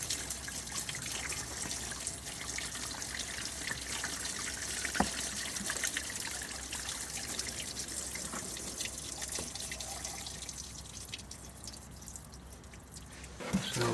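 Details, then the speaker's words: 2014 Fiat Punto 1.2 or 1.4 that died with no crank, no start from water ingress: on a scuttle drain test after partial debris clearing, irregular trickling and dripping with no machine running; water gets past the blocked drain into the cabin. "good because it's saking into the cabin as you can see that is leaking in so we need to strip this and make sure it's sealed because it's not"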